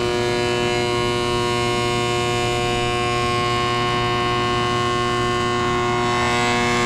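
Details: Carrier GasPack that isn't heating, furnace side: loud, steady, siren-like hum with several strong tones and no clean airflow sound, pointing to a failing inducer motor.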